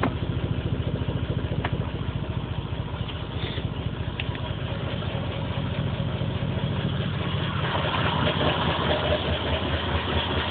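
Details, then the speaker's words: Lumpy misfiring idle with an uneven stumbling beat about twice a second and dropped pulses, light flashing with P0300. The spark plugs were just replaced after the old ones came out black and smelling of gas. It runs on the stock ECU via a patch harness and ran fine on the injectors before an ECU relay fault. The cause is not pinned down. "not saying what song it's misfiring at just telling me it has a misfire again light is flashing"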